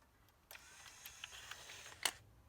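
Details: Denon DN-2000F MkIII CD player after refitting the CD mechanism and cleaning the lens: quiet light clicks and brief whir as the tray moves, no grinding or slipping; mechanism works.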